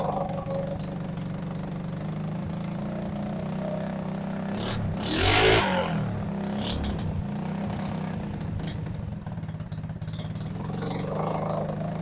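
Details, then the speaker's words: RPS 150cc sport ATV, non-runner brought in, after fuel turned on: single chugs unevenly at idle, one throttle blip, loping idle; suspected needs more idle fuel, idle screw opened; rough idle. "H I think we need more fuel at idle maybe so so let's open up that idle screw a little bit"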